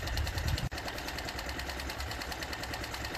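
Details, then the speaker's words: Mercury/Tohatsu 4/5/6 HP four-stroke outboard with just over 10 hours of running, during its annual service: quiet, quick, even ticking at steady speed with no misses. The cooling water jet is very good, so the engine sounds healthy. "Jetul de apă este foarte bun. Nu are rost să schimb elicea, deși o am cumpărat-o."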